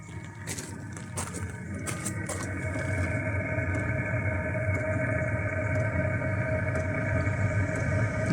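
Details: Chinese diesel air heater heard outdoors at the exhaust: steady low exhaust rumble with a faint, even fuel pump ticking a few times a second, no roughness; running healthily, properly fitted.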